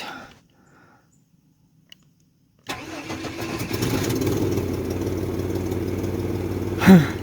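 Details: $400 parts vehicle after a starter replacement and battery charge, first start: the engine catches cleanly and settles into a steady, even idle with no misses; good oil pressure, voltage and temperature.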